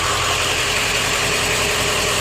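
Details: Even clatter at a steady idle from an OBS Ford 7.3 diesel after the IPR valve was replaced; the bad IPR had caused a no-start and a freeway stall, and it now idles without stumbling, surging or dying.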